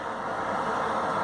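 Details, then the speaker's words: Manufactured-home bathroom exhaust fan running after motor replacement and rewiring; light also works: smooth, steady airy whoosh with no rattle, ticking or hum swings; normal healthy running. "You can hear the fan is working. You gotta check all my tools? Okay. Alright. This old jokey piece of junk is working."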